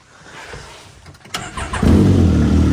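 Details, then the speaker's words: Can-Am X3 with newly installed FP Green turbo, running again after five months down: faint cranking, then it fires and settles into a steady, even idle with a crisp exhaust note. Normal running. "oh my my gosh isn't that trial exhaust I think sounds crisp man I'm so happy guys I'm so happy to have this thing back"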